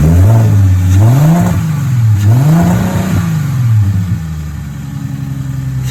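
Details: Audi A4 engine (being pulled for LS swap; cracked block, oil leaks, sensors removed) surges unevenly with deep clatter underneath; blown engine with terrible rod knock, last run before removal.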